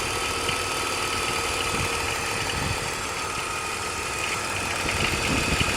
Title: E46 weird engine noise